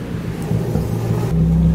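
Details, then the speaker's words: Straight-piped Nissan S13 with a partial EGR delete, which the owner feels isn't running perfectly yet (suspects the EGR work or possibly a misfire): loud, deep, steady rumbling idle from the open exhaust with no audible stumbling. "gonna let you guys hear it this thing sounds crazy"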